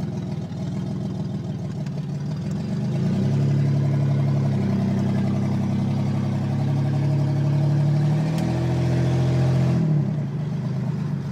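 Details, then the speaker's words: 1987 Buick Grand National 3.8 turbo with the driver-side crossover pipe blown off and cracked before the turbo, can't build boost, runs poorly; loud uneven idle with deep puffing exhaust note rising on a brief rev. Finding: pre-turbo exhaust leak. "Got a big crack in it. That's what she sounds like."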